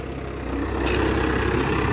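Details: 12-valve Cummins dually, new OEM fuel pump, mileage 235: even diesel clatter over a deep steady rumble that firms up slightly after start, no misses or knocks. Normal idle.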